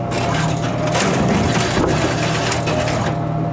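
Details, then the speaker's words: Royal GIII soda machine, Cherry Coke column test vend after replacing the jam-causing pivot lever spring: short steady motor whir with the can releasing cleanly, no catching or grinding; working properly again. "Looks like it's working perfect again."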